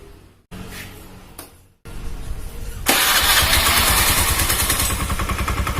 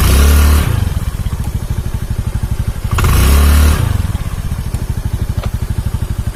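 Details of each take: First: Honda Beat carburetor scooter with broken CVT drive belt: engine catches and revs freely and high, flaring unchecked with no load on the front pulley, and the scooter won't move. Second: Honda Beat carburetor scooter after replacing a snapped CVT drive belt (V-belt kit): two throttle blips then a fast, even putter at idle, no slapping or grinding from the drive; running smooth, long-term noise still unknown.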